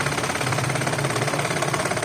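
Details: 2011 Toyota Vitz after repairing broken, poorly fitted cylinder 3 injector wire (code P0303): even steady idle with regular firing pulses, no stumble or skip; runs smoothly on all cylinders, engine light gone.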